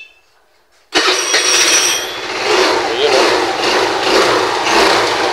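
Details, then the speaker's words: Scooter starter after replacing the noisy Bendix drive: starter bites at once and the engine catches within a second, no grinding; the noise is mostly gone. "Mabilis na kumamit mga DJK. Saka medyo nawawala kagad yung ingay niya."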